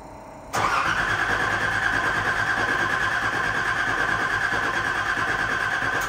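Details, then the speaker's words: Nissan 300ZX Z31, first key turn after fuel pump, tank, new battery and clutch master/slave cylinder work: the starter spins the engine evenly for about five seconds but it never fires. Cranks, no start; an unknown noise is heard with the key in Run. "all right see tell it cranked but it did not start"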